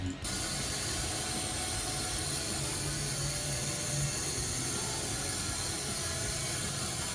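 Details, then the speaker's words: Ford Taurus with Vulcan V6 at cold start: a loud, steady high-pitched whine over a fast, busy idle that revs ridiculously high; the whine is constant and its source is not pinned down. "if that doesn't sound like whining to you, then I don't know what does. It sounds extremely... It's loud when you start it up. It revs at a ridiculously high RPM when it idles."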